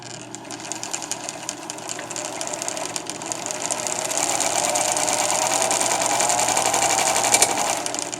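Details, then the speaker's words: Viking 6430 sewing machine, rescued and just cleaned and oiled, run fast: steady chatter around four beats a second with a harsh whir rising with speed; unidentified mechanism noise, cause unknown. "so this noise what is this noise right there right there what is that noise so i don't know what that noise is so if anybody out there knows what that noise is i'd appreciate that"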